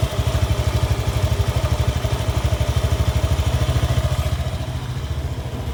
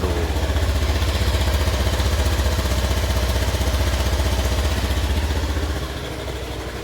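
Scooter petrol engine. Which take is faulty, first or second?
second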